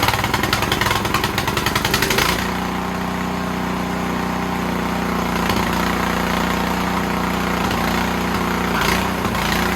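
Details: Snowblower engine whose rebuilt carb leaked, now fitted with an Amazon carb, runs only on choke; on the stand with throttle up and full choke, rough at first, then the idle slowly surges up and down, hunting; pilot jet problem suspected.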